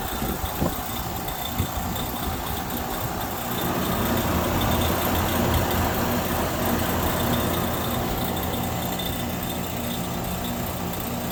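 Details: Goodman 5-ton heat pump outdoor unit running: steady hum with a loose rattle and a few sharp clicks, seemingly from the compressor; not the fan, no debris or loose screws found.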